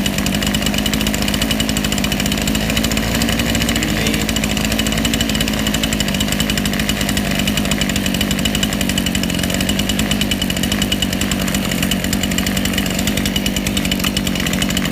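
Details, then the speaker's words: Chainsaw/strimmer two-stroke carburettor adjustment: steady idle whose pitch sags and roughens as the low-speed mixture screw goes from too lean to too rich, then settles when set in the middle. "you'll be able to hear it run from two lean to two rich and you'll see me set it in the middle"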